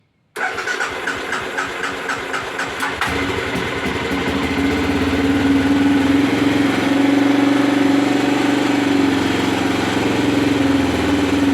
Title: Aprilia Pegaso 650 cube misfire